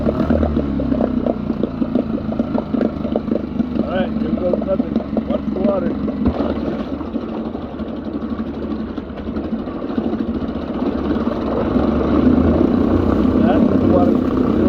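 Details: Mercury 3.5 outboard test run after temporary plastic propeller repair with homemade shear pin: even, steady putter without misses or surging; running normally.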